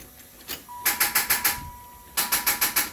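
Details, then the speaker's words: Turbo LS-swapped Cadillac Fleetwood, first start attempt on a jump box, then planning to jump from another car: two bursts of quick, even cranking about six pulses a second, never catches; crank no-start, cause unconfirmed. "that's what I thought maybe once think I'm gonna jump it with the other car all right attempt number two"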